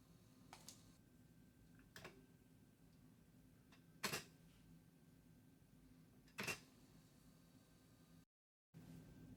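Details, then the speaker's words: Commodore 64 floppy drive reading a Battle Chess disk after scrubbing it with isopropyl alcohol: soft even spindle hum with light head clicks every couple of seconds; normal, smooth reading. "That's a little more scrubbing with isopropyl alcohol than I normally would like to do, but it's sounding buttery smooth in that disk drive, and I don't think we would have survived this copy program"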